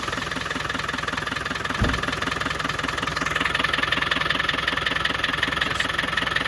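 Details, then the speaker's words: Land Rover 300Tdi diesel just after replacing the coolant header tank and radiator cap and refilling with 50-50 antifreeze, started to check for leaks; steady, even clatter at a settled idle with no misses while warming up to running temperature, normal. "We'll just leave it now, let it run until it gets up to running temperature."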